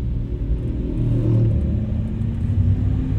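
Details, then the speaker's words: 2003 Suzuki Escudo SE416, 1.6L G16B SOHC 16-valve multipoint-injection engine, 5-speed manual, driving: a heavy, steady, rough-edged drone fills the cabin as revs climb above 3000 rpm, engine noise at high rpm. "Ya udah diatas 3000 itu di ruangannya udah mulai kenceng itu"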